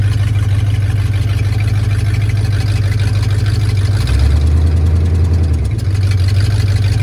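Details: 1968 Ford Torino V8, driven after 20 years sitting in a barn, idling while warming up: loud, steady burble sitting a touch fast with an even beat and no stumble. Idle set too high; carburetor needs adjusting.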